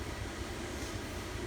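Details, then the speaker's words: Camper furnace on a newly wired Honeywell 2300 home thermostat, after ignition and purge with heat now reaching the register: soft steady rushing hum, no surges, clicks or rattles. Normal running. "Alright, feel. No. Yep. We got heat? Yep."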